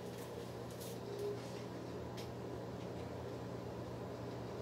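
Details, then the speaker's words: Country Aire box fan running after a faint startup, soft steady low hum and even whir with no rattle or scraping; motor oiled recently and running smoothly. "It has a really faint startup sound that actually sounds quite nice. It just got up to speed."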